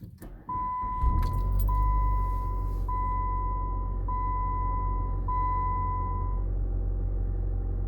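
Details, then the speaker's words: 2006 Chrysler PT Cruiser 2.4L Turbo after spark plug replacement: short crank with fuel pump priming, catches quickly into a steady, even idle under a repeating chime, slight shake still felt, vacuum tube suspected; normal start and idle. "sounds pretty good it feels pretty good so far the normal PT Cruiser like shake a little bit still have the smoothest car ever"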